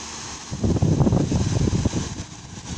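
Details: Electric fan after repair of stuck shaft that left it humming without spinning: gusty low rumble of moving air as it now spins freely, with no motor hum left.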